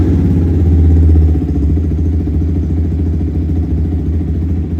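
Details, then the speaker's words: Yamaha R15 V3 at about 12,000 km, first start after throttle body cleaning for misfiring: steady low single-cylinder idle holding speed without rpm drop, settling after a brief rise; smooth idle. "भाई finally start होगी और पहले से अंदर पता चल रहा है अभी सही। आरपीएम ड्रॉप नहीं हो रहे ज़्यादा,"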